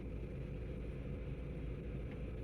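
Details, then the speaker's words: 2007 Volvo XC70 after a P0303 cylinder 3 misfire stumble, idling while codes are read with VIDA: steady, even low rumble with no stumble or skipped beats, smooth on all cylinders. Stumble gone. "It's gone. There's no more stumble. We are totally good."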